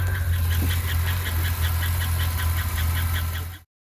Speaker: So a bad lifter took out the cam.